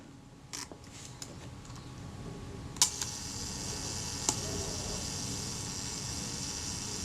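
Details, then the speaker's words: Kodak Retina IB type 019-II with Synchro-Compur shutter, serviced and reassembled, set to 1/125 at f/16, self timer checked: sharp click then a faint steady buzzing whir running evenly to the end; self timer works normally. "And we'll check the self timer once more."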